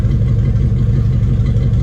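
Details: Classic Ford 302 V8 idling after new alternator install, multimeter on DC volts: steady even idle, smooth low rumble, no knocks or misses; healthy, reading 14 volts, charging properly.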